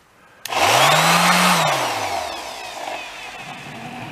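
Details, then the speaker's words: Repaired orbital sander: sharp start, pitch climbs quickly to a steady whir then eases off smoothly with no knocking or wobble; now runs much better than before, when it vibrated too much to hold. "Okay, plug your ears. This thing does run a lot better. Before you can't hold it in your hand. Listen to that nice bearing in here."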